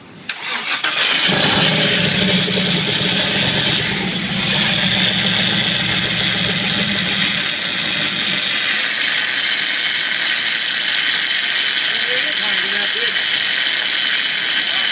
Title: Starter Motor hear the grinding noise after start up